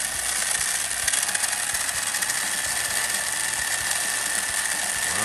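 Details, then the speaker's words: 1987 Tamiya Hornet RC car with original two-step mechanical speed controller and Futaba electronics: even, high-pitched electric whine with a light gear buzz, no clicking or grinding. The motor and gearbox run smoothly. "it actually sounds really good too"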